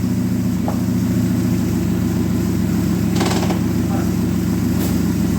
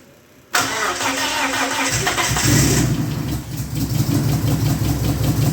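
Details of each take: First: Dodge Neon stock car after crash repairs, running good after washers fixed a part touching the sprocket: steady, even four-cylinder hum, constant low pulse, no knocks or misses; normal idle. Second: Dodge Neon stock car after crash repairs: cranks and catches, then a fast idle with a rapid rhythmic scrape and smoke from the timing belt end; timing sprocket rubbing an overlong wrong upper motor mount bolt.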